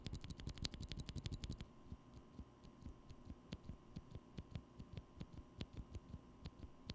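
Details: Holy Panda-style tactile MX switch after extra lubrication and cleaning excess lube off the metal contacts: clean, even keystroke clicks, a fast burst then steady presses, with no leaf-spring tick, so it sounds smooth and quiet.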